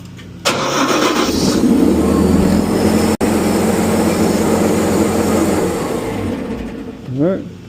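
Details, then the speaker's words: Everest EP 870HP truck mount, after replacing bad starter signal wire that caused no-crank with good battery: starter catches within half a second, engine fires cleanly and settles into even steady run; starting circuit fixed. "Put the new new one in and she fires up now."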